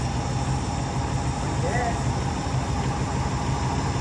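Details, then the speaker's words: 2008 Dodge Durango 5.7 HEMI V8 after replacing the failed cylinder 4 deactivation solenoid, which had caused a constant skip about 3 seconds after startup: steady, even low idle rumble with no stumble, smooth as glass. "The motor's running nice and smooth as glass. Couldn't ask for anything better than that."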